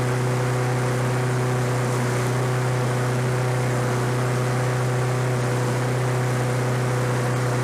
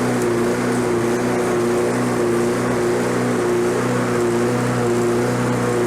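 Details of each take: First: Roadside-discarded Lawn-Boy 21-inch self-propelled walk-behind mower, revived on fresh gas, low compression felt: steady, even single-cylinder drone without misses, surging or knocks; running normally. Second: Lawn-Boy self-propelled walk-behind mower, roadside find: steady high-pitched unloaded drone, pitch sitting high; over-revving.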